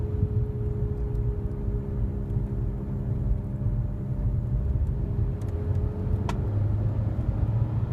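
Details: 2008 Nissan Altima: low, steady airplane-like drone over road rumble, louder when accelerating and softer when slowing; owner believes it is the CVT transmission issue.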